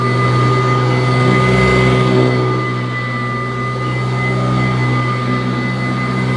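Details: Kirby Classic III vacuum cleaner, old unit at first run after unboxing, strong suction at the head: a strong steady piercing whine over the motor's roar, holding pitch throughout; an abnormal high motor tone, cause unknown.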